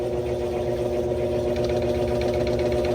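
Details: GE GTW335ASN0WW top-load washer after agitator removal and gearcase spline check, final spin with no out-of-balance flashing: steady low hum, even whir, no thumping or banging as the drum speeds up; spin smooth and balanced.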